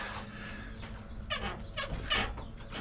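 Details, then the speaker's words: Third-gen Toyota Tacoma with Icon RXT leaf packs, just switched to stage two: sharp, high squeaks from the rear suspension as the truck rocks; leaf packs not centered in the shackles, worse on one side; rear leaf spring squeak. "I have the Icon uh RXT leaf pack s and I just switched to stage two. And this thing is squeaking, squealing."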